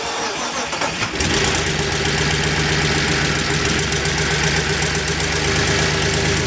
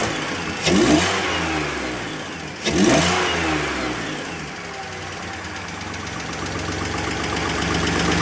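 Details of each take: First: 2004 BMW 325i first start after replacing CCV system, coolant hoses and oil filter housing gasket: uneven, lumpy, ragged idle; cause not yet found. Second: 2004 BMW 325i after CCV system, coolant hose and genuine oil filter housing gasket replacement, revved with the MAF unplugged: two quick blips climb cleanly and settle smoothly with no stumble; normal free revving.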